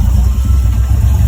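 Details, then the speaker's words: LQ9 V8-swapped 1973 Firebird with a 6-speed manual, with the choke found stuck open: deep, even burble with a steady low pulse, no ticking or knocking, judged quite nice, though it later stalls. Temperature readings of about 81 °C were taken afterwards. "That idle sounds quite nice, if you ask me."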